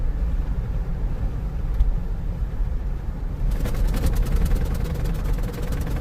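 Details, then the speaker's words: Jeep driving: road rumble then rapid steady clatter of clunks; death wobble, something loose in the suspension suspected, cause not yet found. "Telltale sign that there is something wrong and something loose in your suspension causing that Jeep death wobble. Hear that clunking?"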